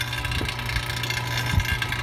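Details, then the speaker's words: Chevy Equinox at idle after engine replacement: steady low even beat, no knocking or misfire, runs pretty good; remaining check engine light comes from unplugged turbo plugs, not the engine. "As far as now, it don't belong on this car. Everything runs pretty good. We're done."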